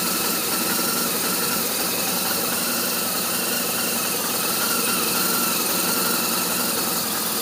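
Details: R1200RT motorcycle twin at idle (part 2): a hissy, uneven beat whose firing pulses never settle into a steady rhythm. Rough idle; cause not pinned down.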